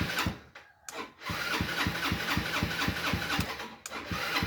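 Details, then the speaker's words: Motorcycle that is hard to start and cranks slowly, laboring at about four beats a second without catching; original battery weak, cranking speed too slow, so a higher-CCA lithium battery is ordered to replace it. "ฟังดูเหมือนเสียงรอบมันยังเร็วไม่พอนะครับมันน่าจะเร็วกว่านี้อีกนะครับ"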